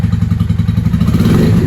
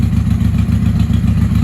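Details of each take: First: 1995 Honda Shadow VLX 600 (VT600CD) V-twin with open pipes, on an auxiliary fuel supply with a freshly charged battery after an earlier backfire: uneven idle lope, then crisp clean blips; sounds healthy, though the carbs may need syncing. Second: 1995 Honda Shadow VLX 600 VT600CD with stage 3 jet kit, open exhaust, K&N filter, after cleaning the fuel petcock: lumpy, loping V-twin idle that won't settle; owner suspects carbs need synchronizing.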